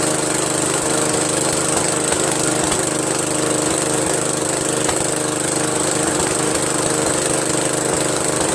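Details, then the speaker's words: Briggs & Stratton 13hp flathead single-cylinder on an MTD Cub Cadet lawn tractor, after carburetor replacement; steady even speed, constant buzz, no misses or knocks; sounds healthy, owner pretty impressed. "Wow pretty good man pretty good I'm pretty impressed"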